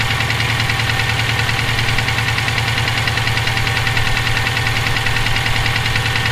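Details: Subaru EJ257 flat-four at idle, owned about 17k miles with this noise throughout: steady sharp knock about three per second; rod knock, spun bearing or valve lash suspected, not confirmed.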